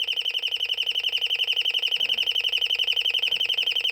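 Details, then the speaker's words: Royal smoke, gas and fire alarm, late-1970s or 1980s, speaker-driven rather than electromechanical or piezo: high shrill warbling chirp about three times a second, like a flock of birds, then shuts itself off; sounding normally, quieter than expected. "sounds like a flock of birds okay so it shut itself off"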